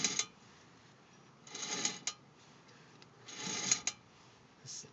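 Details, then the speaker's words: Car with the front driver-side wheel off, hub turned by hand: sharp, light clicks in small clusters every second or two, like a marble dropping, from behind the hub; brake pads not worn down; source unknown. "and you can kind of hear like sounds like a marble dropping right after I stop you here click click after that listen ready"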